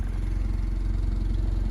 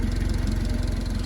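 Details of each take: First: Honda Civic engine at 217,000 miles, after oil overfilled to three times the correct amount was changed to 10W-40: a steady, even idle with regular low firing pulses and no ticking, only a slight shake; healthy. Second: Honda Civic with a chopped exhaust and no cat: a steady, low burbling idle with an even rapid pulse, fairly quiet and smooth at idle, though loud under throttle.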